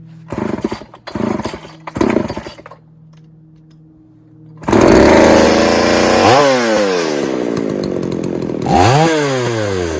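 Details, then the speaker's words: Poulan 3800 chainsaw with a loose carburetor and air leak being fixed, some spit back through the carb on acceleration: idle stumbles in ragged bursts, nearly dies, then revs unevenly, loading up at idle; possible remaining air leak. "I don't I know if you can hear that but it sounds like she's just loading up just sitting there idling"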